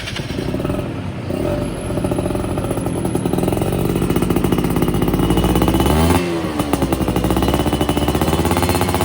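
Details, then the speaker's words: Yamaha F1ZR two-stroke after a major service and porting for daily use; carburettor setting, lean before, now right; standard 14/38 gearing. Revs crisply and holds speed without bogging or stutter. Normal running. "Oh ini saya udah pas banget settingannya untuk harian. Nah jadi kan di portingnya ini untuk harian ya."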